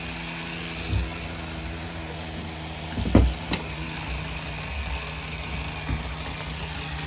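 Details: Tamiya TGS-R nitro RC engine during its second tank of run-in at factory carb settings: fast, even buzzing idle that holds steady with only a brief blip; normal idle.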